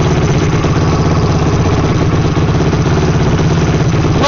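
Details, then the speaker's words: Yamaha YFZ450R engine, freshly rebuilt after a missing first-gear tooth, on first start cold on choke: loud steady single-cylinder thump at fast idle, no knocks or clatter; healthy, running first heat cycle until the fan kicks on. "so we're just going to let it run and heat up until the fan kicks on and then we'll shut it down check the oil let it cool down for a little bit and then we'll do another heat cycle"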